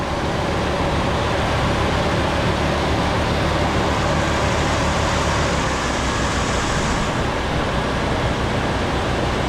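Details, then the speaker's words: 1977 Ford LTD station wagon V8 that sat 17 years in a junkyard, running on fuel poured into the carburetor bowl and throttle: a steady, even rumble with no knocks, misses or ticks. Motor sounds pretty good, though it may need belts. "Running. Motor sounds pretty good."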